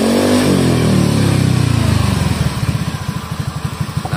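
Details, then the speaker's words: Honda Scoopy bore-up engine after repair: revs then settles to an even, smooth idle with no top-end rattle; roughness had been the cam chain riding on the manual tensioner because the upper tensioner tongue wasn't contacting the chain after owner's reassembly. "Ini udah rapi ini tinggal kita hidupin aja coba kita hidupin Nah suaranya halus lagi ya sekarang ya tuh halus lagi"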